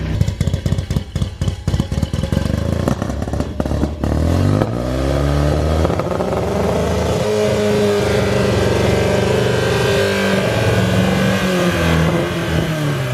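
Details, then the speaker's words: Porsche 944 race car that sat a long time, first idle after fuel rail and pump work: uneven stumbling firing then a loud exhaust slowly steadying as it warms; won't rev up yet, rough after sitting. "we finally got the car idling. but it doesn't like to rev up just yet. So we're gonna let it run for a minute, put the wheels and tires on it, get on the ground, see if we can't drive it around, if it'll warm up. It's been sitting for a while."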